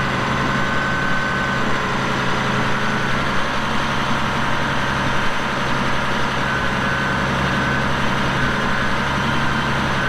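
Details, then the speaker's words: 1989 Caterpillar D6H dozer, 10,489 hours: deep steady diesel idle with even low rumble, no knocks or misses; starts right away, no excessive smoking, normal healthy idle. "As soon as it turns over, it's running. No excessive smoking. The engine sounds great."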